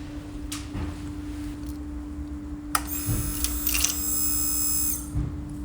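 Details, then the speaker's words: 2007 Honda CBR125R fuel pump priming with a steady unbroken mid-pitched hum and light clicks, after soldering the pump and fuel gauge brushes on a bike left outside two years non-running; priming normally. "yep that is priming if I lift the fuel gauge brilliant"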